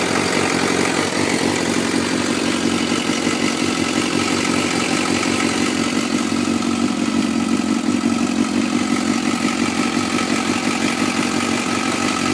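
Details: 2004 Suzuki GSX-R 600 four-cylinder at cold-start idle in Arizona: light fast ticking over a smooth idle, steady throughout; top-end tick, owner suspects the cam chain tensioner, not confirmed.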